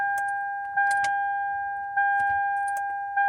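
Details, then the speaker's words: 2008 Toyota Camry, battery and starter good: keys jingle and a warning chime repeats but no starter click or cranking; no-crank, suspected burned alternator fuse. "if you guys having problems like this switch your car and nothing happens"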